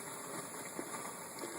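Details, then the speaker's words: Teac A4010S reel-to-reel under reconditioning, tape output through receiver: quiet, constant hiss in left playback channel only, gone on source, too low to register on VU meter; right channel quiet; noisy medium PNP transistor suspected in left playback preamp. "not enough noise to register on the vu meter you go into the source goes away but in tape there's quite a hiss and it's only in the left channel"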